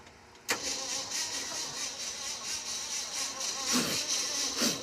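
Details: Old V8 needing jumper cables: steady starter whir with even compression pulses but no firing; cranks and won't start. A fire followed, and a weak spark from a hot coil is suspected, not confirmed.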